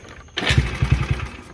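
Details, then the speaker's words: Roughly 2015–17 Taotao GY6 50cc scooter (Yamaha Zuma replica) after new starter and starter relay: short crank catches into a light putter and runs; owner suspects a vacuum leak and sticky carb on throttle. "have some power there we go she runs"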